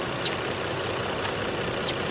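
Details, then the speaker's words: Car nearly at operating temperature after restart following 11 days sitting and odd cranking: quiet, even idle with steady hiss, two faint background chirps, no misses or knocks; normal idle. "But everything is running just fine. It's just about up to operating temperature, so I'll stand out here for another 5 minutes and let it do its thing."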